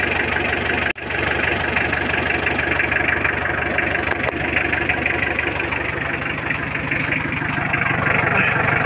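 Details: Mitsubishi L300 diesel at steady idle after glow-plug preheat, checking one-click start (hard start, noisy belt and overheating complaints; clutch, tie rod ends, clutch cable and master replaced); even clatter about three beats a second, no squeal or miss; normal idle.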